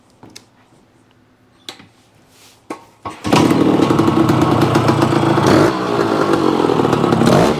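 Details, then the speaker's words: Yamaha AT-1 converted to CT-1 two-stroke, first start after wiring, oil pump priming and carburetor fixes; a few kicks, then steady crisp ring-ding idle with no knocks or misses; runs fine. "Okay guys, there you have it. The AT-1 to CT-1 runs. Sounds pretty reasonable. Just got a lot of paint and stuff to do yet, but the engine sounds good,"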